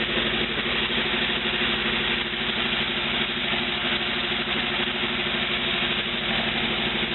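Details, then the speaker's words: A 1949 Willys replacement used engine, warm, with the temperature gauge not yet wired, idles evenly and steadily with a smooth low beat and no knocks or misses; the replacement engine appears to be working. "the replacement willly engine appears to be working"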